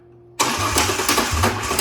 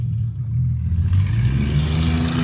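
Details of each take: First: Ranger six-cylinder with new spark plugs, plug wires and MAF sensor, starting after fix attempts; lumpy uneven idle with surges and stumbles; misfire. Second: Ranger project truck, after rough idle and misfire chase with new MAF, plugs and wires, driven with loaded unsecured bed; revs climb cleanly and pull strong, no misfire; normal acceleration.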